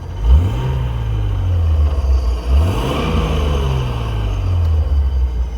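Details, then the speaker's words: Nissan 240SX with an RB20 engine swap and a binding driveline, flex plate suspected of touching the flywheel, tail-shaft dust boot removed: quick revs with a faint whine following engine speed and whining while driving. "I'm sure you guys can hear while I'm driving too. There's a lot of like whining."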